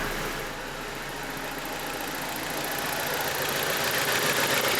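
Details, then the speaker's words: BMW E87 with N45B16 engine, after repeated VANOS replacement chasing a knock: quiet, even idle with a light, fast ticking from the fuel injectors and no deep knock underneath; normal injector ticking at idle. "Я слышу работу топливных форсунок."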